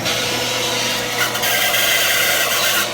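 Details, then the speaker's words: Pool pump running with Quick-Skim valve off, before opening it: loud steady motor hum and rush with a thin, wavering high squeal on top; owner suspects the pump bearing is starting to get rough and may need replacing eventually. "you hear that little squealing? That's an indicator that that bearing's probably starting to get a little bit rough, and it might be time to replace it eventually."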